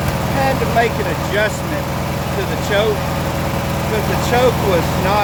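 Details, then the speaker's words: 1996 Briggs & Stratton 17hp I/C opposed-twin flathead engine, revived after over ten years idle, Seafoam added: even, steady putter at idle with no misses or hunting, bird chatter behind; healthy settled idle. "up let's see what happens nice got a good idle sounds good on an idle smoke"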